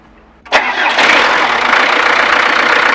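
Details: Camper van engine that had failed to start, battery now charged to 12.6 V: a quick crank, then it catches and settles into a steady, even idle; normal start with enough battery voltage.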